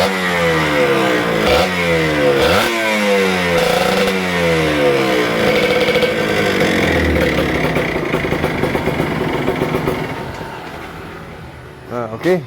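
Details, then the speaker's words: Kawasaki Ninja RR 150 two-stroke with heavy pull, stuttering and a power valve sticking at some rpm: revs rise and fall with a ragged, stuttering crackle and no clean climb; heavily fouled power valve found as the cause. "nah jadi di sini kesimpulannya motor ini terdengar dari powernya saat di gas itu berat ya terus bunyinya juga agak enak ya dari suara-suara knalpotnya itu kayak kebasan banget"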